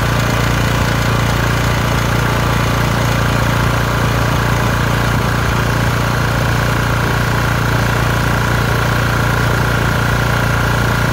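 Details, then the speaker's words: LT1040 lawn tractor after valve cover gasket repair (original gasket plus silicone) that cured white/grey smoke from the front; steady low drone at constant speed, no knocks or misses, air compressor nearby — normal idle. "well we did it uh we fixed the um problem let me shut off this air compressor we fixed the problem with the original gasket and some silicone"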